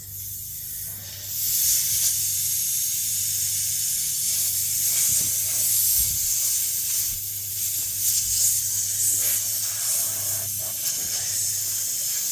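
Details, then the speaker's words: Flat tire with small puncture from a long screw, pulled out, car on a jack stand: steady sharp hiss of air escaping before inserting a tire plug; it wasn't leaking much with the screw in; tire puncture air leak. "Well, that's a small hole. I might have to wait till the air gets out of it."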